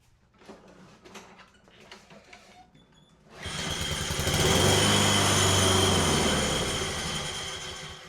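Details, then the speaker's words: Craftsman self-propelled mower after a Honda engine swap and a replacement boot refitted, test pull: catches and runs with a strong, even beat, steadying with no misfire, then shuts off as it should. "We're going to go ahead and give this thing another test pull and see if she shuts off the way she should now."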